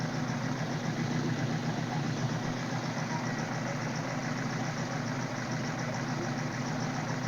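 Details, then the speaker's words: 1978 Suzuki GS1000C after carb cleaning, choke on: uneven lumpy idle with one backfire and missing cylinder; debris stuck in #2 carb float needle kept it open, flooding #2 and dumping fuel from the overflow hose. "So that one backfire, and then this overflow hose started dumping fuel underneath the bike, which was from the number 2 carb. The float needle had a chunk of something in it."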